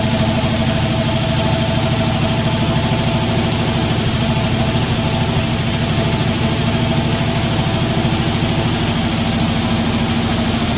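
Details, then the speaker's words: Poly 318 V8 from a '66 Dodge Coronet, first start in a 1964 Dodge D300 after long storage: rough, uneven idle with a light rapid ticking over the rumble from a couple of noisy lifters. "night got a couple of noisy lifters see if those end up shutting up here"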